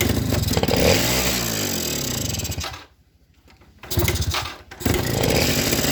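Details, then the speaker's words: Suzuki RC two-stroke after the clogged pilot and main jets were cleaned. It starts and idles well but revs, cuts out and stutters, unable to rev high. It feels rich and heavy on fuel; the needle is to be checked next. "Tetapi di sini gasnya ndak bisa meraung tinggi karena sepeda motor ini terasa terboros, terasa boros ya teman-teman, boros BBM yang saya maksud, karena gas-gasannya ini berat."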